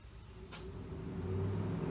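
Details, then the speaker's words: Pontiac Fiero 2.8L V6, ignition on and fan switch wire jumpered to ground. Soft whoosh swells over two seconds as the electric cooling fan spins up and runs. Relay works; fan switch sensor suspected faulty. "I don't know if you can hear it on the camera but the fan cuts on so we don't have a problem with the fan relay"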